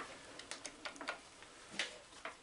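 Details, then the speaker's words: Atlas 7B shaper, restored cross feed mechanism: light, crisp ratchet clicks in small groups each stroke, no grinding or slipping, ratcheting forward and advancing on the backstroke; feed indexing correctly. "ratcheting on the forward stroke advancing on the backstroke ratcheting on the forward stroke so that's correct that seems to be working"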